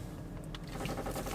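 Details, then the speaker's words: Short, dry creaks keep coming through a low road rumble while driving a Volvo XC90 turned, worst steered right; creak at the front left, suspected body damage after a past impact with cracked filler, not confirmed. "Скрип есть... (слышится корабельный скрип) Да, скрип есть(((... Ну что такое... Дааа, скрип остался..((("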